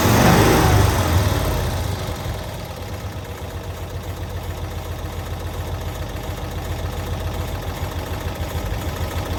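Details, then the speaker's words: 1992-ish Cushman Truckster from a field, first run after revival: small petrol engine catches with a loud burst, then idles steadily at about three and a half pulses a second; normal idle, ran until out of fuel. "Well, heck, this thing's ready to drive. This thing's a runner."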